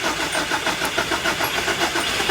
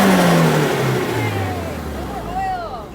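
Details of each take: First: Nissan project car with Link ECU, after fitting a new fuel injector, on jump pack: starter churns about seven pulses a second with no firing; crank, no start, traced to the faulty new injector, runs once unplugged. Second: Nissan build with Link ECU, previously crank-no-start, after a new injector was unplugged: revs blip and fall smoothly with no misfire, slightly smoky; running much better.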